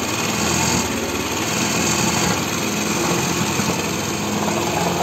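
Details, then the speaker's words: Aprilia Proxy 50 scooter engine runs thin, uneven and lifeless at idle, barely holding itself because idle speed is set too low; throttle cable slack and idle screw are adjusted afterward to raise it. "Yani bunu bile rölantisiz olduğu için bunu bile oynatıyor arkadaşlar Cansız ve ürkek çalışıyor"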